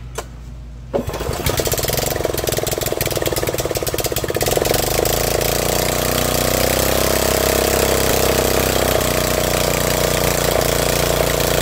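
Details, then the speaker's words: Snapper riding mower that wouldn't start, first start after carburetor filled: catches after short crank into loud, steady, even idle with no misses or knocks; running normally, some smoke likely moisture/oil burning off muffler. "Thing is loud. It sounds great. It's running."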